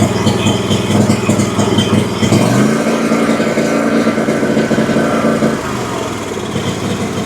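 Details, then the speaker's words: Exmark Vantage S stand-on mower, Kawasaki FS541V V-twin, 1181 hours, found with no oil (oil added, filter changed): rough, uneven run with irregular pops, stumbles and surging; misfiring, down on power; owner suspects too much fuel or a sticking/unsealed valve. "So, it runs pretty poorly. It seems like it's either getting too much fuel or that one of the valves is sticking or not sealing properly. Obviously, something is definitely wrong with the engine."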